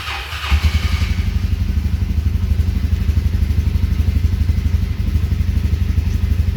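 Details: Can-Am Defender with 1,000 miles, started right after its fuel pump pre-filter is replaced: it catches within half a second and settles into an even, steady idle with no stumble, sounding healthy.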